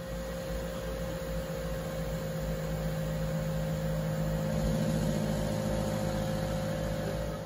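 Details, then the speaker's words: Harman pellet stove combustion blower/exhaust fan motor, about 10 years old, before replacement: a constant whirring hum with a faint rough, pulsing undertone. The motor bearings are starting to go bad. "this particular one on my pillow stove is about 10 years old and you can hear the bearings are starting to go bad so it's time to replace it"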